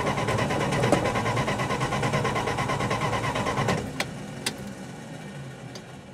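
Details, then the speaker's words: 1966 Plymouth Fury with new coil, plugs, wires, cap and rotor, 12 volts key-on: starter churns evenly near three turns a second for almost four seconds, then stops without firing; owner then rechecks voltage. "there's absolutely no reason for this thing not to run i'm going to try it again and hope it works"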